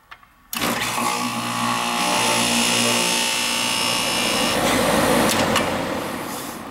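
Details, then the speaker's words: Condenser unit for a second-floor AC that was not cooling, started after replacing a burnt bad contactor; a click, then the fan and compressor catch and settle into a steady even hum and airflow rush, running normally. "That's what it was. Had a bad contactor. Yeehaw!"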